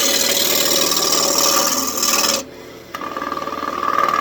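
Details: Turning a walnut wizard wand blank on a wood lathe: rapid rasping chatter of about four cuts a second as the tool hits only the high spots, so the blank is still out of round.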